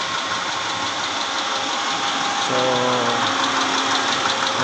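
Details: 2010 Mitsubishi Pajero V6 6G74 engine running: fairly regular knock about three per second over the engine noise, coming from inside the engine, cause undetermined; engine knocking.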